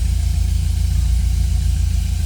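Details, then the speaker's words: 1971 Volkswagen Super Beetle convertible, 1600cc AE twin-port air-cooled flat-four, 4-speed manual: fires right up on the key and settles into low, even idle with steady beat, no knocks, misses or hunting; normal idle. "And when I say fires right up, it fires right up."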